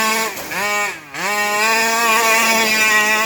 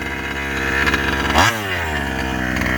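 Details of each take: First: Rovan 5B fifth-scale two-stroke RC with new carburetor and clutch, first run, top-end being tuned richer: high-pitched screams, then revs sag and stumble before recovering during donuts; cutting out at high rpm, cause unconfirmed. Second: Rovan 5B fifth-scale two-stroke on its first run with a new carb and clutch, after top-end tuning. A sharp rasp climbs and settles without bogging; not cutting out or flooding, with good throttle response and power off the line: normal revving.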